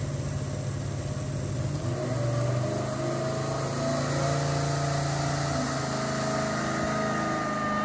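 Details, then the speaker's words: Cammed 5.3L LS V8 with junkyard M90 blower and a 650 Holley draw-through carburetor instead of Holley HP EFI: pulls under load with a ragged, hesitant note on roll-in; made slightly more power than EFI but struggled on the roll, cause unconfirmed. "okay we made carb runs and it actually works really really well it made just a little bit more power than the fuel injection did but you can hear on the rolling and stuff it was kind of struggling a little bit"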